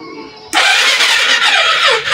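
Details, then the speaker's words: Fuel-injected Suzuki Hayate 125 that won't start, with no dash lights or horn; the fuel pump primes, but the starter whirs thinly without firing because the battery is flat. "wala na wala ng laman ng battery"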